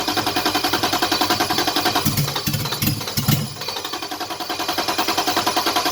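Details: Toyota Cressida with 2JZ engine swap and LQ9 coils, brake cleaner sprayed into intake: steady cranking about three and a half beats a second, short rough catch midway, then cranking again; injectors unpowered through a missing harness plug, so no fuel.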